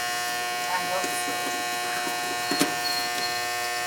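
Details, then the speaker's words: Goodman R22 AC outdoor condensing unit not running while indoor fan runs: steady electrical hum, nothing spinning up; contactor burnt and not pulling in, contactor to be replaced. "my contactor looks cooked it's not pulled in"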